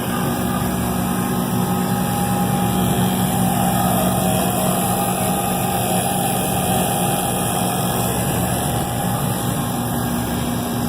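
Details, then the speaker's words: Navac NP120M 12 CFM vacuum pump with gas ballast open, on TruBlu hoses, evacuating a flat freezer system after a Copeland 6D compressor burnout replacement; heard up close; smooth, quiet steady hum, no knocks. Normal running. "There you go, you can hear it this close."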